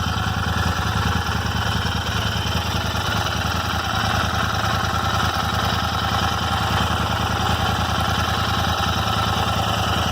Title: Royal Enfield Interceptor 650 :: Random ticking noise in engine